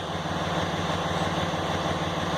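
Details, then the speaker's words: 2006 Dodge Ram 2500 with 5.9 Cummins 24-valve diesel, idling while P0203 (injector circuit open, cylinder 3) and P2146 codes are stored. Steady, even diesel clatter with a smooth low thrum and no misses or knocks; runs fine despite the codes. "as you can hear it's running fine now sounds fine"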